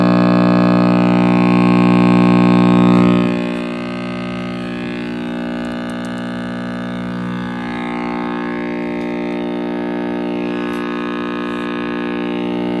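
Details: RCA Victor X551 vintage tube radio at first power-up after restoration and power cord rewiring: loud steady buzzing hum easing slightly after three seconds; owner suspects last-soldered filter capacitor, reading unconfirmed.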